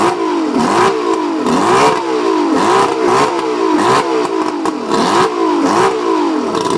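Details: Mercury 135 outboard misfiring when revved, with ragged, uneven surges that stumble as revs climb; the owner suspects the spark plugs.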